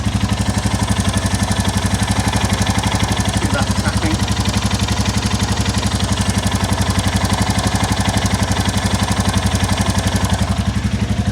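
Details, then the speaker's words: 2022 Royal Enfield Classic 350 (stolen and recovered) at idle before valve adjustment: steady single-cylinder thump about four a second with a light tick; top-end valve tick plus a bottom-end noise later suspected to be an exhaust joint blow. "but also it's doing it from the bottom end as well so we got the top end tick and from the bottom end as well"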